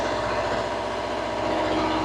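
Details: Steady, even diesel drone with a constant pitch and no knocks or surging from a two-compartment trailer reefer engine after unloading, setpoints reset with C1 at 4 degrees before shutdown; normal idle.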